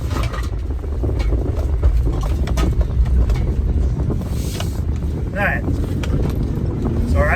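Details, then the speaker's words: 2003 Honda Element, new Duralast Gold passenger-side CV axle after replacement, tight full-lock 180/360 U-turn: steady low drive rumble, no popping or clicking; the old joint banged repeatedly on turns, now sounds normal. "yeah that sounds better right and around we go no popping axles this time"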